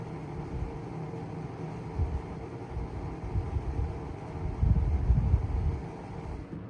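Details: 1975-76 Kou Horng desk fan running with a rough, uneven low rumble and knocking surges, worse when tilted up; worn thrust washers, possibly bad bearings; oiling later quieted it.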